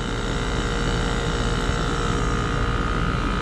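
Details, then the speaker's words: Two-stage scroll compressor in a gas pack on R410A, high side 254 psi and low side 102 psi, with the DC staging solenoid powered: a steady low hum with a faint constant tone, pumping hard and running normally; it quietens once the solenoid is unplugged. "this one is going to be for the staging of this scroll compressor so you can kind of hear it it's it's pumping hard"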